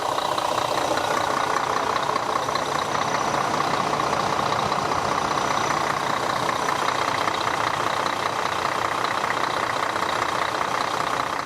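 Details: Diesel bus idling after an oil change and reseating a crooked filter cover that had hissed: steady idle with even, regular clatter, no speed hunting, nothing abnormal on top; running fine.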